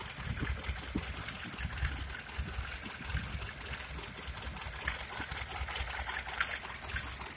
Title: Sprinter 208 D '98 Engine Knocking Sound